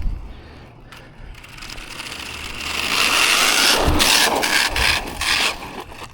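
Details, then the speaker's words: Hosim X08 1/10 brushless RC car bashed: rough scraping and crunching rise with throttle, with uneven rattling pulses. The drivetrain is broken and grinding; the differentials are likely damaged. "Yeah, that drivetrach's not happy. No, we definitely smoked something."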